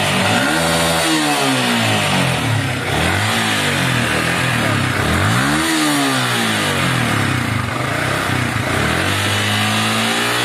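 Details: Yamaha Vixion motorcycle that intermittently stalls, starts hard and sputters revs up and down cleanly here, with no stumble or stall. There is no MIL blink code, and the fuel spray/pump pressure is suspected and about to be checked.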